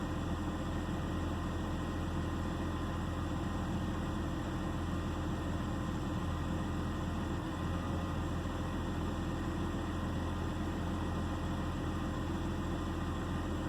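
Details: 2009 BMW 328i xDrive coupe at idle: low steady idle with a faint uneven shake in the beat, nothing sharp on top; misfire giving a rough idle, cause suspected, not confirmed.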